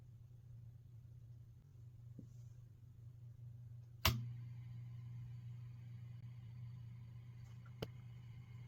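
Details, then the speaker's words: Peavey Classic 30 II valve amp with JJ valves: warmed up 2 minutes, then standby on, and 3–5 minutes later a sharp pop is followed by a steady low mains-type hum that stays louder. Caused by PCB flux residue found on disassembly. "But within like 3 to 5 minutes later, you hear this pinging sound, and then all of a sudden it starts to get a really bad background hum."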